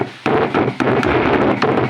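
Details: AJ speaker cabinet with built-in Bluetooth/MP3 player, noise from right speaker: knocking the cabinet triggers bursts of rough crackling hiss; suspected loose solder joint on heat-sinked amplifier IC board.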